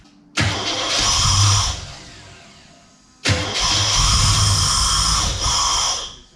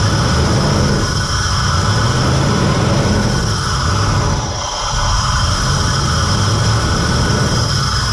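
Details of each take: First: Holden VN Commodore, sat for years, ran poorly before parking, wiring faults: fires and revs on throttle briefly, then sags and dies, won't idle; throttle position sensor and MAP sensor thought to lack their 5 V reference from the computer. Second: VN Commodore that sat for years and ran poorly, started after wiring repair restored 5 V to the throttle position sensor (0.5 V idle, 4 V full throttle); low even idle with only a slight dip midway, no stumbling.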